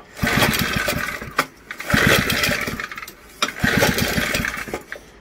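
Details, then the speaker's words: 1964 Briggs and Stratton two horsepower junkyard engine just revived: surges and sags roughly every second and a half with ragged, uneven firing; rough running. "she's crabby all of a sudden buddy got it running"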